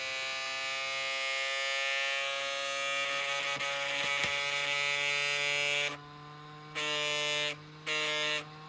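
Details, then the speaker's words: Traxxas X-Maxx RC truck, 35mm motor cooling fans with snapped blades from bashing: harsh, high-pitched buzzing whine cutting in and out unevenly; to be replaced with Rocket 21,000 rpm aluminium fans. "It sounds terrible. So we're going to get those fans out, put in these Rocket aluminium case 21,000 RPM fans."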